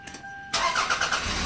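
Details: 1998 Toyota Camry after fuel pump plug rewiring, restarted during voltage-drop test (about 0.3 V drop, deemed fine): short crank, catches quickly and settles into steady idle; starts cleanly.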